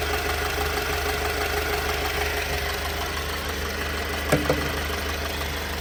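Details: 2018 Alfa Romeo Stelvio petrol engine, 52k miles, idling with an uneven, lumpy pulse. It still idles rough despite a new engine mount, fuel pump and pump module, 20k-mile spark plugs, a 15k-mile belt and freshly cleaned injectors.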